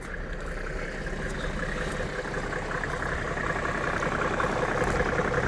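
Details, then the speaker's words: 1995 Mercedes-Benz E300 diesel W124, inline-six, warm idle under the open hood: steady, even diesel clatter with no misses, knocks, rattle or timing-chain slap; normal idle. "just listen to that no rattle no timing chain slap"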